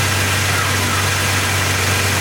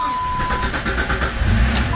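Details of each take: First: 2002 Jeep Grand Cherokee Laredo 4.0L after crankshaft position sensor replacement for intermittent stalling and no-start: starts right up into a steady, even idle with a smooth low hum, no misses or surging; normal. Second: Vehicle that shuts off while driving and sometimes won't restart: cranks, catches briefly with no rpm reading and no rev pickup, then dies again; no rpm signal points to the crankshaft position sensor.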